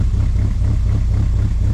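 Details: Project Zero build, running after fuel pump replacement, odometer at one mile, oil pressure reading suspected faulty from a poorly grounded sensor: deep, steady idle with slight even lope, no knocks or ticks. Normal idle.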